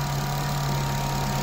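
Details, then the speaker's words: Honda FN2 with K20 intake manifold, J35 throttle body, homemade air intake and new oil catch can, first start-up after install: steady, smooth idle with even hum, no knocks, ticks or hunting; no dash lights, no leaks, running perfectly. "Okay. Perfect. Running perfectly, no issues."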